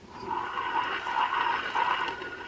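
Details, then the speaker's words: Older Shimano reel, possibly Mize or M1Z, heavy metal case: loud, gritty whirring rasp while cranked, a very noisy worn bearing. "you can hear that in the background it is just a very loud and noisy uh bearing"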